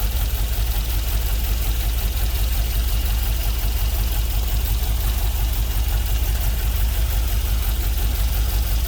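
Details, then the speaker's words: GMC Vandura with LS V8 swap, first start after ECU flash and fan wiring: deep, even V8 burble at a steady idle with no knocks or ticks; healthy, no leaks, cooling system still needs bleeding. "t where it's supposed to go um so real glad that it uh fired up today and got to listen to it mean nothing nothing's leaking"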